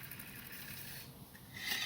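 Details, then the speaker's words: Opel 1.4/1.6 16V engine off during a timing belt and water pump job: a short dry, scratchy rasp as the tensioner bracket pulley is spun by hand; the pulley bearing is dry. "now it's a good time to check the condition of the pulley on this bracket on this tensioner i can hear it's a bit dry"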